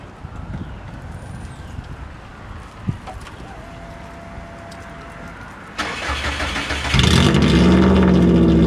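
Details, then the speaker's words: Car cranks quietly, then catches and blips into a loud, raw, booming bark, running with no muffler at all, exhaust exiting to the side; owner thinks it is louder than the straight header; open exhaust without muffler. "I actually think it was not as loud when it was straight header. Just for the fun of it, here's what it sounds like with with no muffler on it at all."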